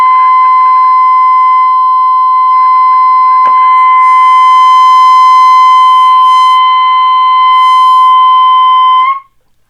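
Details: 1932 Philco Junior 80C alignment, trimmer number three (rear on tuning condenser) adjusted with a metal screwdriver: loud steady test tone near 1 kHz holds then cuts off while set for maximum signal.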